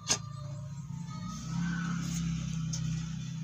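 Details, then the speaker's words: Homemade active speaker with an unknown, possibly SMPS, transformer on 220 V mains and no audio input yet; a steady low buzz with no program sound, which changes when the volume potentiometer is touched, pointing to a broken potentiometer cable. "suara berdengung Hai potensionya saya coba otak-atik ya"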